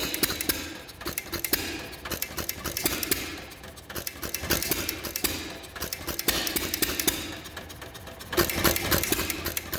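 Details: 1933 John Deere Model E hit-and-miss engine, first run in years with cleaned igniter and old fuel: uneven bursts of sharp pops with quiet coasting gaps as the governor cuts in and out; running normally.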